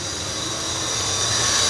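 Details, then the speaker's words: Ford LNT9000 Louisville truck: a steady, high, shrill tone sounds continuously; the low air pressure warning buzzer stays on even after air pressure builds up, a fault yet to be found. "low air Buzz is on um as you can hear but when you build the air up that doesn't go out so that'll be another problem"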